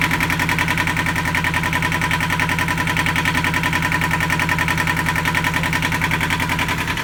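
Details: Yanmar marine diesel on a sailboat at its first start after fresh diesel, new batteries and priming: even clatter with a regular firing beat and no misses, running smoothly. It ran about five minutes, then stalled from air in the fuel lines.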